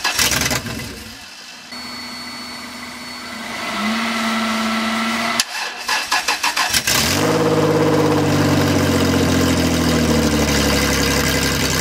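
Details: 1994 Toyota 4Runner 3.4L 5VZ-FE engine, first start after swap, wiring and fuel tank installed, jump from another car giving too little power: sluggish, uneven cranking for about seven seconds before catching and revving; weak battery supply.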